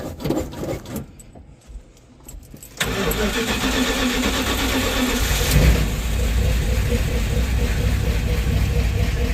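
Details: 1970 Dodge D100 pickup V8, first start after cam swap with DLC lifters, before tuning and cam break-in: brief cranking, then catches and settles into a steady, even idle without misses or ticking; normal start and idle as lifters pump up.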